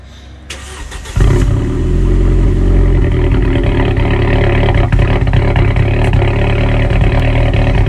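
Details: Straight-piped 2008 Audi A4 2.0T cold start with a bad fuel injector: the starter catches, then a loud, deep, stumbling, uneven idle, a misfire from the injector.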